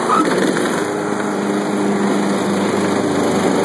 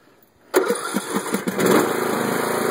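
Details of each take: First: Craftsman LT1500 lawn tractor, bought new a year earlier with about 10 hours of use, began quitting after about 5 hours. Engine runs, then dies when the blades drop. Gas smell made the owner suspect flooding; Sears later found a bad wiring harness. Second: Craftsman LT1500 lawn tractor, about one year old with roughly 10 hours of use, cold engine with choke set: brief crank, catches at once and settles into a slightly choked idle; normal cold start, though it stalls later when mowing.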